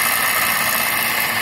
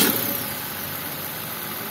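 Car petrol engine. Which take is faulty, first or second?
first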